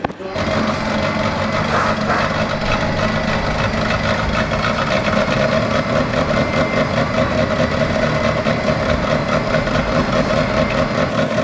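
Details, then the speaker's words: Ferrari 360 Challenge Stradale Spider first fire-up after project build: engine settles into uneven idle with irregular pops and splutters, one exhaust side popping while other okay, not smoothing after 30-60 seconds; rough idle misfire on one bank, cause not confirmed. "when you feel the exhausts one side seems to be okay and this one really seems to be popping and spluttering"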